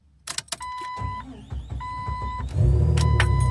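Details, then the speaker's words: 2000 Jeep Cherokee XJ struggling to start in the mornings, worse after standing a few days: warning chime as the starter grinds about two seconds before firing and settling; owner suspects failing fuel pump losing pressure, hard starting. "My 2000 Jeep XJ had started to struggle to start in the mornings. This was especially noticeable if the Jeep had been standing for a few days. Listen to this video as the Jeep fumbles before it starts."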